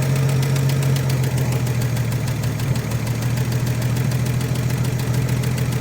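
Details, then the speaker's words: 1956 Chevrolet with 235 straight six, parked since 1989, running on carburetor fuel: low, even, smooth idle with steady rumble, no misses or knocks, no tailpipe smoke; healthy. "Is that sound like smooth or what? And there's no smoke coming out of the tail of this thing."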